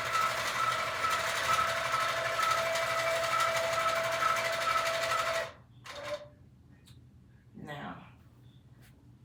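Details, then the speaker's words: Sewing machine quilting a Christmas quilt, with too much bounce (owner suspects something too loose) and a not-normal sound, cause unknown. Fast, even stitching clatter over a steady hum for about five seconds, then stops. Abnormal running noise with excessive bounce. "I don't know if you could see that there's a lot of bouncing. So, I need to figure that out, which means something is too loose. Like, it's supposed to bounce, but there's too much bounce. One. Two, it is making a sound that my machine is making a sound that is not normal sound."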